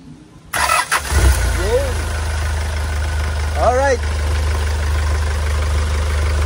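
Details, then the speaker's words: Hyundai Starex GRX diesel that would not start (fuel rail sensor error, weak diesel supply, code P1183), test-run with intercooler removed: starter catches, engine settles into a steady even low idle with no misses or knocks. "Ayan napaandar na nga natin mga boss."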